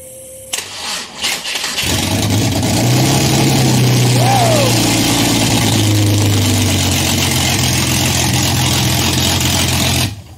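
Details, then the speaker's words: Ford Barra engine swapped into a Mustang, first start after a two-year build: short crank, then it catches into a steady, even idle with a deep low drone and no knocks; normal start and idle. "she'll run man that is awesome"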